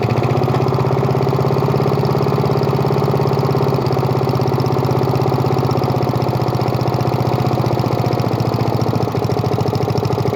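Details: Murray lawn mower with spare replacement engine, started after repeated priming: steady, even single-cylinder putter with no misses or knocks, holding speed; running healthy.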